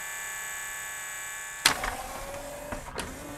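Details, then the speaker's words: Yamaha CDC-697 5-disc CD changer, tray won't close: steady loading motor whir with no tray movement, then a few clicks, belt slipping from migrating grease; fix is cleaning belt with acetone. "i think it just needs a new belt better cleaning the old one and deglazing the pulleys might take care of this"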